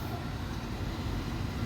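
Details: Commercial 3-phase Carrier rooftop package unit running: a steady, rough low rumble from worn blower and condenser motor bearings, with a tripped breaker and blower overload.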